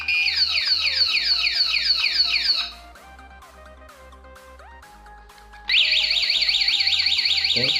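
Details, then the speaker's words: Remote alarm, pink and grey stop-engine wires, engine started then anti-robbery mode activated: shrill sweeping siren about three pulses a second, pauses, then restarts loud. "kita alarm ini untuk mode anti jambret nya anti rampok kita Nyalakan"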